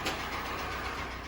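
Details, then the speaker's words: 2015 Kia Sportage G4NA, 50,000 km, mostly short trips, with cylinder scoring and an oil pressure warning light: steady, even idle under a faint hiss with no rod knock, so a sensor is suspected; pump still to be checked. "видите до 50000 характерного стука для шатуна нет поэтому скорее всего датчик"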